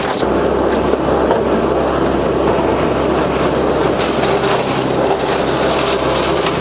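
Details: Entry-level garden shredder, 20 months old, restarted after several months unused: steady, loud motor roar with constant woody crunching as dry branches feed through, and no labouring or knocking. Normal shredding.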